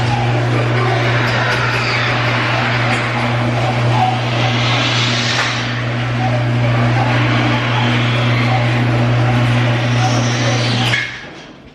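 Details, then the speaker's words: Chain drive garage door opener (came with the house bought three years ago) running: steady low motor hum with chain rattle for about eleven seconds, loud enough to disturb bedrooms above the garage; normal operation before belt-drive upgrade. "pretty loud which is not fun because our bedrooms are literally above the garage"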